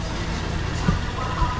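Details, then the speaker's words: 2006 Toyota Yaris after a new battery, new alternator installed, charging at about 14.1 V: smooth, even low idle with no whine from the front of the engine; normal idle. "okay i do not hear this new nader yelling at us this is good"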